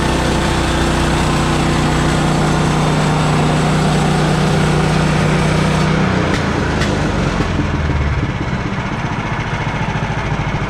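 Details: Bandsaw mill cutting 3/4 x 6 inch boards after the Pine-Sol/water lubricant was toned down; too much had made the blade slip off the belt. Steady engine drone and even cutting hum until about six seconds, then the cut finishes and it eases off; normal.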